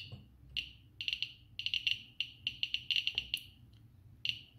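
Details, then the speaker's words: Geiger-Müller counter board with Arduino Uno and Nokia 5110 LCD; alpha source held at GM tube, counts rising from ~55 CPM average to 438, then 540 (almost 1 µSv/h); sharp fast uneven chirps, several per second, high count rate. "you'll see that the accounts are rising rapidly 438 so huge countries"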